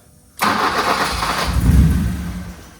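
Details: BMW E30 318i manual, on a starting-issue diagnosis with AFM unplugged: single short burst of cranking dying away after a couple of seconds without firing, after a backfire; cranks but won't start, cause not confirmed.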